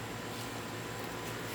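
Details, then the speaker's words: Payne heat pump outdoor unit (upper-floor unit): compressor hums steadily but cannot start, with occasional buzzing; top of the run capacitor looks puffy, pointing to a failed run capacitor. "hear it humming just as much as it and the life just starts it's not able so let's open it up and see if it has high voltage and they have a capacitor problem"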